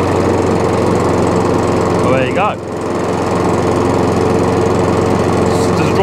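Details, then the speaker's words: Old Hayter 56 mower single-cylinder petrol engine: starts on choke, choke off, runs to idle steady and even with a brief speed dip then clean recovery; engine healthy, drive not working. "so the engine starts it comes on to choke off a choke uh runs onto uh onto idle"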